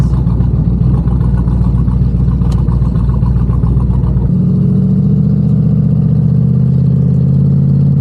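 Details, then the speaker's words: Twin-turbo Pontiac G8 after head gasket, wiring and coil replacement, on the wastegate at about 10 psi on a hot day with intake temps around 97: hard, rising roar, a shift, then a steady climb with no popping or breakup. It previously popped under boost; now it pulls clean. "Alright, we're gonna hit it on gate right after this roundabout. It'll only be like 10 pounds."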